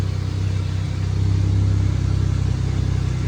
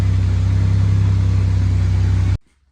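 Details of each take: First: Camaro off road 20 years; deep uneven rumble pulsing under revving, sounds rough, cause unclear; small fuel leak remains, engine temperature unknown. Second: Camaro off road 20 years, running smooth idle after coolant temp sensor replacement; steady even pulse without stumbles before shutoff, engine temperature unknown.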